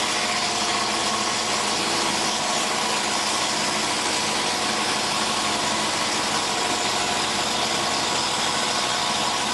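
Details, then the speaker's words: 1991 Ford Crown Victoria first start after sitting 4 years, on stands with front end sagging; steady idle under a constant hissing scrape; radiator fan blades rubbing the shroud. "not sure exactly what that noise is right there know there's an exhaust on got fan is hitting the TR what that is see what we got here yeah definitely hitting the Shroud"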